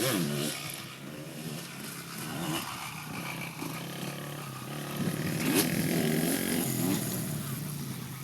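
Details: 2002 Suzuki RM250 dirt bike ridden just before teardown and full rebuild: as the throttle closes, a wavering, pulsing wah-wah note rises and falls; irregular off-throttle noise of unknown cause.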